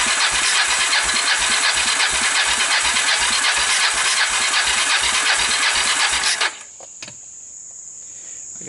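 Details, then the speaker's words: Kawasaki Bayou 300 ATV with 60 PSI compression, retimed valves, portable CDI and PZ27 carb, cranked on carburettor without starting fluid: fast even starter spin for six seconds, no firing; cranks but won't start, low compression. "let's see what she wants to do [Laughter] got a whole lot of nothing going on here that's not good"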